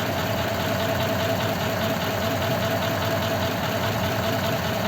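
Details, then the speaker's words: Old French flathead engine in a 1941 pickup, after running a while: even idle with a faint steady whine from mismatched cam and crank gears, now much less than when first started. "it isn't making that whining now as bad as it was"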